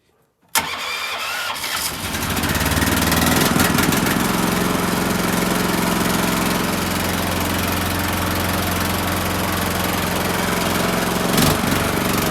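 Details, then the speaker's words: Rope tow petrol engine started with kill switches on, choke, gas on, half throttle, left in gear, on a warm day: catches right away and settles into a steady, even idle with no misses or knocks; clean healthy start. "Choke. Gas on, half throttle, leave it in gear, and we'll start"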